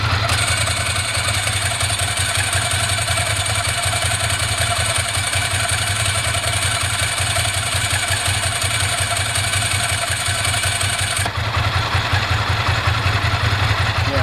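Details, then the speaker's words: 1998 Ducati ST2, 10,596 miles, original exhaust, new open clutch and plates: even V-twin tick over with light dry-clutch rattle while clutch pulled in, dropping away when released; much quieter since front mod, healthy idle. "A lot quieter now since I did the front mod."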